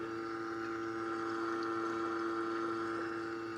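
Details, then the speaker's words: Nissan S15 Silvia new fuel system (Aeroflow 525lph/255lph pumps, Raceworks surge tank), pump run manually with Power Probe during priming: steady electric pump hum with light trickle of fuel returning from surge tank; normal fuel return. "you can actually hear fuel returning from the searching so that's really good really good to hear that"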